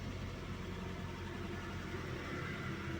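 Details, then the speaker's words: Car idling after the FI fuse was temporarily replaced, following a wrong fuse replacement: low, steady hum with no knocks or misses, smooth even idle. "Alhamdulillah ya, mobil sudah hidup ya, alhamdulillah."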